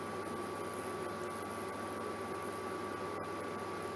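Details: Germanica portable induction cooker on heating mode at full power boiling water: steady, even high-pitched coil hum and faint whine, no crackle or buzzing; working normally.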